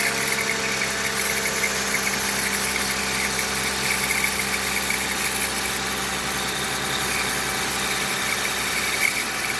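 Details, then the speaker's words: Toyota Avalon, well-maintained engine at idle before alternator replacement: dry, raspy chatter on top of the running note; failing alternator overrunning clutch pulley suspected, to be confirmed by spinning it once removed. "Oh, yeah, the clutch pulley. That's exactly what it sounds like. The clutch may be failing."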